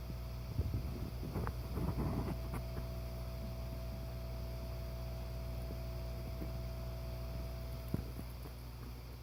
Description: This is the very faint humming noise that the NeverFlat secondary air pump makes when it is operating.